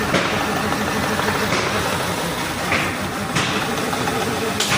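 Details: Mercedes-Benz petrol engine at idle with code P0302: rough uneven beat with puffing stumbles from a cylinder 2 misfire, which damages the three-way catalyst.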